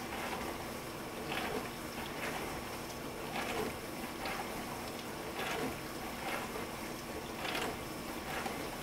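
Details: Frigidaire LFBD2409LF2B dishwasher, two years old (bought 2015), in diagnostic test mode, possibly step 3 WASH (wash motor only, 45 s); steady low pump hum with water sloshing surges about every two seconds. Normal wash motor operation.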